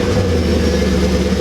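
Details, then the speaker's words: Camaro Z28 V8 sitting about 5 years after Hurricane Harvey flood, first start after reinstalling plugs and wires: even, steady low rumble purring smoother than before, no misses or stumbles, not losing compression and spark; normal idle. "man, that purr. It hasn't ran that smooth. That purr."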